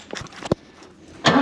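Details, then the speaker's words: New Holland L783 skid steer, hard-start diesel, cranked with starting fluid sprayed past the air filter: a few sharp clacks, then a rough roar as it tries to catch but fails; crank no start with abnormal noise. "She's trying. I don't necessarily like that noise it made though, so we'll see."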